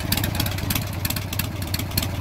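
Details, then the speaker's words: Warm, freshly carb-tuned Harley Sportster 1275 Hammer Performance kit with Andrews N2 cams, collapsible pushrod tubes, S&S Super E carburetor, Dynatek 2000i ignition: lumpy, loping V-twin idle, even beat, no knocks or misses; normal idle. "go ahead and turn it on for you so you can see what it sounds like i just just got warmed up and tuned the carburetor so it's nice and running well there she is"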